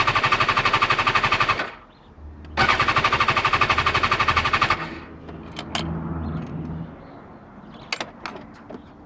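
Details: BMW S1000XR cranking: two bursts of fast, even clatter about four a second, engine never catches; cranks with no start, cause unknown.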